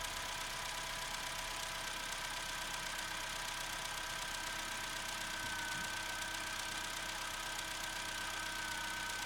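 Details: Opel Corsa C 1.2 16V (55 kW) petrol, cold start after spraying connectors: steady even idle with faint fast tick, no stumbling or misfire; started first time, sounds healthy.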